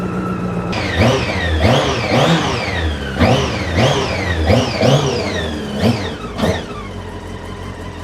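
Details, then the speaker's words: Honda CB600 Hornet motorcycle after about 5 minutes running, warm, choke off; engine blips up and settles back cleanly several times, even firing, no knocks or rattles, normal running. "To be fair, it's been running now for about 5 minutes, chokes off, and the engine sounds absolutely brilliant. There's no knocks, there's nothing, in my opinion, that's particularly sticking out."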